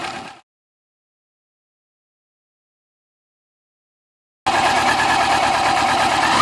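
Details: 2000 Yamaha YZF-R6 at idle after replacing the cam chain tensioner to cure an idle tick: engine idles smoothly with an even, steady beat and no obvious tick.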